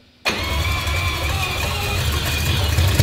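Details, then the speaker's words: 4-rotor rotary engine fires up first try, catching instantly and settling into a crisp, busy rotary burble with a slight rise in revs; healthy start. "well we got an engine back up and running"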